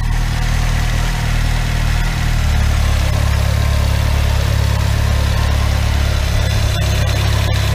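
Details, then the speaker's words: Chevrolet Celta at idle after restoring the alternator, whose bearings were noisy from mud contamination. Smooth steady low hum, no bearing growl or whine; the alternator is now quiet and charging 14.61 V. Healthy alternator. "e agora tá aí tá lisinho alternador não tem mais barulho sereno sereno estava carregando 1461"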